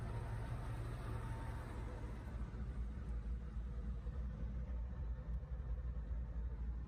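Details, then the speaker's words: Engine with all eight cylinders running after fuel-starvation repair, clogged injectors suspected; steady V8 idle rumble with a faint thin high-pitched whirr from the front of the engine, first thought idler pulley or alternator bearing, found to be water pump bearing. "you can hear the noise still coming from the front of the engine this is what we believe to either be an idol or pulley the alternator bearing or later on we find out it is the water pump"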